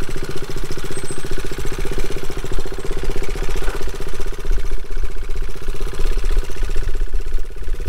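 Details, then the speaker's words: Single-cylinder motorcycle engine at idle: sharp, regular clacking on every firing stroke, loud over the exhaust thump. Suspected internal wear from running the wrong oil; metal chips were in the filter and a flush didn't help. The filter will be rechecked after 500 miles. "That's one cylinder. Yeah, that sounds like crap, huh? Maybe it's not so bad."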